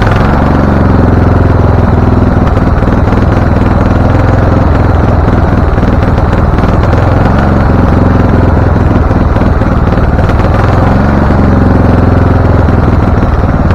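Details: Husqvarna LTH 1438 riding mower (engine cover says 13.5), choke open, first start: loud, lumpy low rumble stumbling unevenly with occasional sharp pops, rough running and backfiring; shop suspected loose cam gear changing timing, not confirmed.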